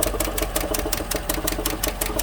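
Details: 2015 GMC Sierra 1500 Denali 6.2L at idle: sharp, even ticking about six per second over a rough idle, passenger side; a loose rocker from a bent, broken number 6 intake pushrod, collapsed lifter first suspected.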